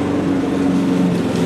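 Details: Old Mountfield budget push mower with entry-level Honda vertical-crankshaft engine, revived, cutting grass: steady even drone with firm low note holding under load, no misses or knocks; normal running under load.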